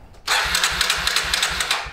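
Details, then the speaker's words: 2000 Kawasaki Super Sherpa 250cc single, sat for years, cranks but won't start; about half a millilitre of gas added directly as a test: starter cranking about five beats a second with a sharp backfire pop, never catching; no-start, carburetor suspected. "if it starts this way it'll prove that the engine wants to run carburetor is just being stingy ready yeah it did backfire"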